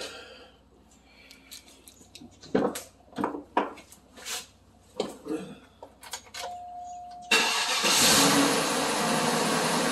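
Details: 2004 Cadillac DeVille after new GM fuel pump, sending unit and fuel pressure sensor install for P0446; quiet clicks, short crank, engine catches at once into a steady, even idle; healthy start.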